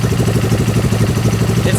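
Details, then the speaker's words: Suzuki GS500 dune buggy engine after carburetor work. Steady, even idle: normal idle. "making that weird noise"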